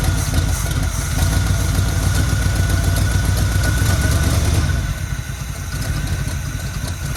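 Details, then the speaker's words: 1972 Chevy C20 3/4-ton, factory 402 big block, automatic: fuel poured into the carburetor with the fuel line disconnected. Deep, steady V8 idle with an even lope dipping slightly near the end, and a little exhaust smoke. Normal idle. "Oh, it's idling. That sounds good. Okay, a little smoke coming out the butt."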